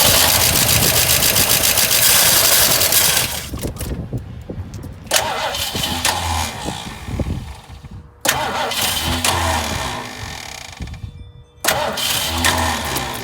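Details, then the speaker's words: 1968 Mustang that sat 8 years, fed 100 low-lead fuel from a tank on the ground, accelerator pump shot in the carb: steady cranking with no catch, crank no start. Carb issue suspected; a different carburettor is fitted next. "It's got a carb issue for sure."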